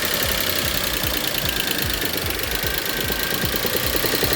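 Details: Idling engine in one of the cars (2000 Audi A8, 2004 Passat or 2003 Jetta) that the owner bought without full information: a sharp, regular knock keeps time with the revs under the general clatter. The owner calls it a rod knock.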